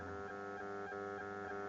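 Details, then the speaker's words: Audi A8 D3 MMI 2G with custom TV tuner cables, Bluetooth adapter on auxiliary input, before adding a noise filter: steady low buzz with thin whine under the audio; ground loop noise, gone after filter fitted. "okay without the filter you can hear the noise can you hear that"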